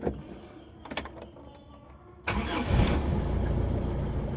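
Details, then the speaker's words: Toyota Kijang Super, left unstarted for about 5 days: a few clicks, then a very short crank, and it fires at once and settles into a steady idle, so the starter is healthy. The idle is slightly rough, and the owner suspects a leaking spark plug or coil lead. "langsung cegreng teman-teman. Langsung cegreng. langsung cegreng."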